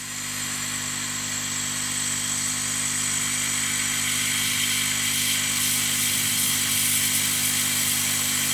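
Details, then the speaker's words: Laser cutter air assist pump with the laser turned off, heard at the nozzle with a jam-jar and wadding pulse limiter fitted: steady hiss over even pump hum, no surging or pulsing even when the airflow is blocked; normal stable airflow. "well I have to say that that sounds pretty successful and if I put something in front of the airflow"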